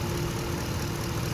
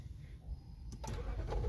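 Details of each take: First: 2013 Lexus LX 570 (Toyota) that had a crank-no-start from a misplaced EFI relay; smooth, steady low idle with an even beat and no knocks, misses or stumbles; engine idling normally. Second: 2013 Lexus LX 570 (Toyota): a click, then steady starter cranking with a whirring drone that never catches; cranks but won't start, caused by a misplaced EFI relay.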